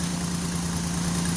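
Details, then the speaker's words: 2002 Ford Escape after spark plug hole thread repair: steady even idle with a constant low hum, no puffing or ticking; what sounds like blow-by is only normal engine noise, and the blowing has stopped: normal idle. "they almost sounds like it's blowing by it's not that's the engine noises"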